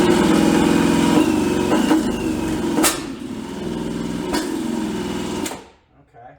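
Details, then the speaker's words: 1986 Suzuki LT250R two-stroke ATV, abandoned for years, spun by a drill on a socket after repairing broken pickup-coil wires: steady drill buzz with two isolated pops. Fuel starvation, since the plug came out dry; carb floats suspected. "Well, a couple pops is a good sign. Okay, we're definitely starving for fuel because I pulled the spark plug before and it's literally dry. So, I know we're not getting any fuel into the cylinder."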